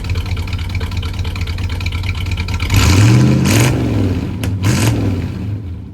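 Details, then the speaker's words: 1985 Chevy C20 that sat 10+ years, with a new mechanical fuel pump and inline filter, not yet on its own fuel tank: even V8 idle, with clean throttle blips and no misses. Running normally. "The truck is running good."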